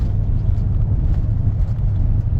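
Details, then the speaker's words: Truck idling with flashing check engine light and scanner-reported cylinder 3 misfire despite new coil and new spark plug: low, lumpy idle with an uneven shake; owner suspects coil, plug or fuel injector, cause unconfirmed. "check engine light, it's coming on. Kind of shakes a little bit like it's got a misfire, which I know it does."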